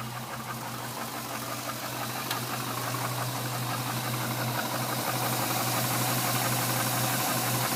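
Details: 2006 Trailblazer SS LS2 V8 on a cold start idles with a steady low hum and a regular knock about three times a second; owner says it isn't piston slap and it gets louder as the engine warms up.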